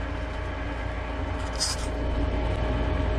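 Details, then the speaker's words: Lennox furnace after inducer motor replacement (old one had bad bearing, noisy, hot, burning smell): steady low hum and even airflow rush as burner and blower come up, running normally. "i think the blower motor is going to kick on any second and i'd say it's a successful replacement"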